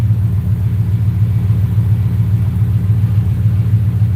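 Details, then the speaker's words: 4.6 V8 on Terminator X V2 ECU, idle set to 800 rpm with the IAC balancing it at 42: deep, steady, even rumble with no misses or knocks; smooth normal idle. "So as you can see, now the IAC comes in to balance it out. Let's see what the IAC is running. The IAC is at 42."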